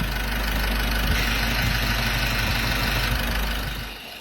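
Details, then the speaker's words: Isuzu 1.9 diesel idling: steady airy turbo-like whoosh over the diesel knock, not turbo damage but a faulty EVRV vacuum control valve. "ถ้ามีเสียงนี้ขึ้นมาเนี่ยอย่าไปมองว่าเทอร์โบเสียหายอืเพมันจะดังอยู่บวเถเถเทอร์โบเนี่ยถ้าเสียงเนี้ยนะครับแต่ตัวเนี้ยมันดังเกี่ยวกับชุดควบคุมแกัมสูญอากาศ"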